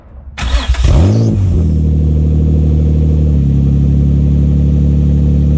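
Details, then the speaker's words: Nissan 350Z started with the exhaust removed during a mid-pipe change (old mid-pipe had a blow): very loud, raw, deep unmuffled drone and booming blips, louder than expected; engine running with no exhaust fitted. "Yep, we weren't wrong. That was loud. A lot louder than I thought."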